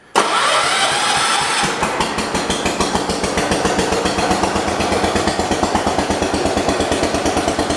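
Fires instantly, then holds a steady, evenly spaced putt-putt idle with no misses or knocks. A healthy small engine.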